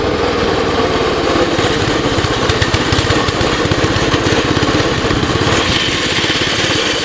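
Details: 2006 Baja Warrior, seemingly low-mileage, reportedly new clutch, cold start, choke off; small single cylinder popping at a fast, slightly uneven idle with a thick, burbly note; runs a little rich, owner plans a carb rebuild or replacement.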